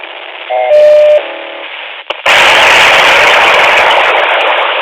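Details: Luiton LT-316 walkie-talkie: a few short beeping tones, a sharp crackle, then a loud steady hiss from the handset; strange interference of unknown origin.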